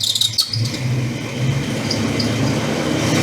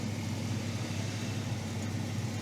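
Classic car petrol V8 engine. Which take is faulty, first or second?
first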